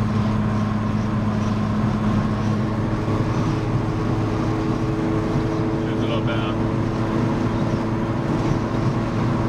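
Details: Mk1 Fiesta XR2 with Jenvey throttle body and Omex 600 EFI, after remaking the inlet manifold and laptop mapping, driven in snow: steady even drone under road noise, no stumbles or surging. Runs properly after the fix.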